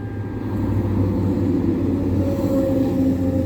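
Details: Engine after throttle body scrubbed clean, following a won't-hold-idle problem after battery replacement: smooth, even idle with steady low hum, no hunting, stumbling or misses; holds idle normally.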